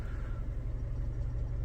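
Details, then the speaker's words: 2012 Fiat 500 Lounge after fitting four new spark plugs for a misfire and slight idle hunting; low, even rumble with no rise or fall in speed, misfire gone; steady idle. "That misfire, it's definitely not there. I think it's all been cleared up with a fresh set of spark plugs."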